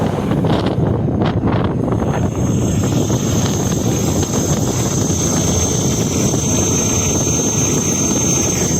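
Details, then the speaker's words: Ola S1X Gen2 3 kW scooter at full throttle, top speed 42–43 km/h: a thin, steady high whistle from the hub motor under heavy wind rush, with no grinding or growl; normal motor sound. "Motor की आवाज सुनी होगी आपने तो केवल एक whistle sound आता है और ज्यादा कुछ नहीं है इसमें थोड़ा घर पर घरघर कुछ नहीं आता है मेरे तो केवल विसल साउंड है"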